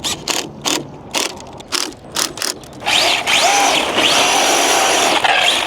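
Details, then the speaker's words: 1/7-scale RC NASCAR truck, electric, during tire-smoking runs with very hot tires and a cool motor: rapid ratcheting clatter about twice a second, then high motor whine with skipping chirps; the wheel hex has completely stripped. "Oh, I see what we done. I see what's happened here. It's completely stripped it."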